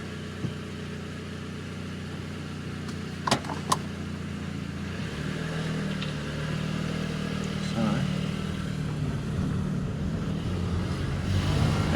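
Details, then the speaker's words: Mk5 VW Golf GTI after engine rebuild, about 10 minutes running before first road test; smooth, even run with low steady hum, no knocks or ticks, slight rise at the end, no oil pressure warning: normal running engine. "sounds good no oil pressure warning light coming on so that's good"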